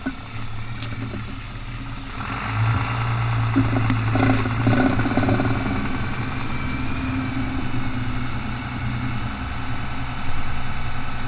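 Truck rolling with a steady drone, then a rapid rough ratcheting clatter during the turn; a 4x4 driveline bind, cause unknown.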